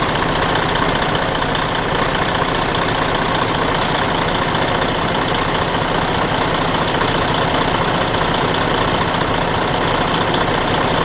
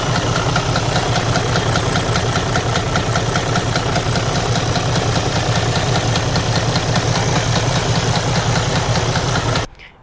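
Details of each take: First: Detroit DD13 heavy diesel idling after camshaft replacement and valve adjustment: an even, steady clatter with no off-beat knock, so it now runs normally. The damaged camshaft had caused a loud out-of-time noise before the repair. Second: Mercedes/Detroit DD13 diesel idling with a damaged camshaft, running poorly; a loud, frightening heavy steady knock about two to three times a second from camshafts out of time.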